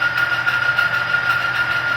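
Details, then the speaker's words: Oil-test rig (rotating ring on a stationary specimen) with Mobil 1, new specimen, 2 lb load; steady harsh high-pitched screech as the oil film fails and keeps chewing, leaving a gouge in the test piece. "continuing to chew it's not stopping so let me stop that"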